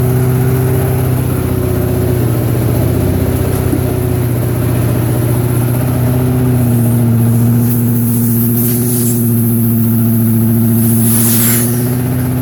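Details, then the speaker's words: Harbor Freight Predator engine on a small carpet-cleaning truck mount build, cold early-morning run with choke on: fast, steady small-engine drone whose note drops slightly partway, then holds evenly; normal running on choke. "Let me start it up. Early in the morning, choke it up. Yes, on, choke on."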